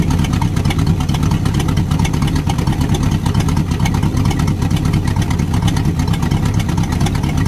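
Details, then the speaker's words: LM 318 boat engine running on a stand with good oil pressure on a manual gauge: a deep, steady V8 idle with the slightly uneven lope of its 3/4 racing cam, otherwise smooth and healthy. The starboard head has a water-jacket crack. "now if I had a street car that run like that I'd tell everybody it had a racing cam in it"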